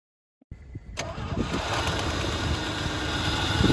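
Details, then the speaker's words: 3rd-gen Firebird that had sat since 2018, after reconnecting a bad vacuum line: short crank, catches quickly and climbs into a steady, even idle with no misses or stumbling; a normal start and idle. "We searched around in the engine bay, found a bad vacuum line, reconnected that, and it actually fired right up and ran pretty good."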